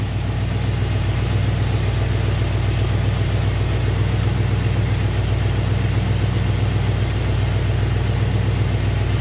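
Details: Engine with Thermoquad carburetor after idle mixture screws set by vacuum gauge to max vacuum then turned in slightly; previously rough with almost no vacuum; now even, steady low idle with smooth regular beat, no misses or hunting.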